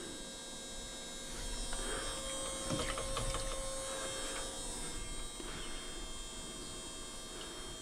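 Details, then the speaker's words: Small electric pump pumping water out of an older fiberglass sailboat, a steady buzzing motor hum with no change in note, running and labouring for a while before any water starts flowing. "Not flowing yet. You might be asking a lot of this little pump."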